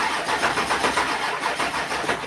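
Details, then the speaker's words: 1972 Ford F250 FE engine, hot day, cranking after fuel pump work: uneven, labouring crank pulsing about five a second, fails to catch; slow cranking, owner suspects dead batteries or bad battery connections. "Whoa. That didn't sound good. Let me check my battery connections. They could really be dead batteries though too."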